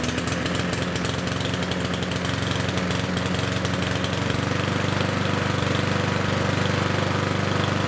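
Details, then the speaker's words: Yard Machines mower with Power Mower engine, before repair: runs rough and uneven as if choked, won't rev to full speed; running rich because the air filter is saturated with oil and fuel, blocking airflow. "I will start it up and you will see that it will run rich as if it's being choked [Music] okay so you just saw there how it doesn't want to wrap it full speed"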